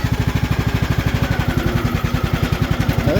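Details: Craftsman T2400 riding mower after head gasket replacement for oil consumption: steady even single-cylinder thump about two beats a second, no misses or knocks; idling cleanly.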